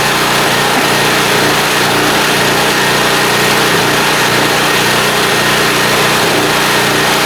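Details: Small blue Walmart generator, about 15 years old, 110-120 V, running indoors on a lamp load, being left to run dry; steady, high-pitched buzz at constant speed without surging, hunting or misfire, running smoothly.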